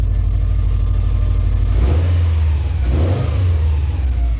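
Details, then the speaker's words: Subaru STI partway through a Cobb SF intake install: steady smooth idle, then two quick throttle blips rising and falling cleanly with a deeper intake note; everything sounds fine. "Alrighty, well, we're partway on. Everything sounds fine. Just a little rev, just a little one."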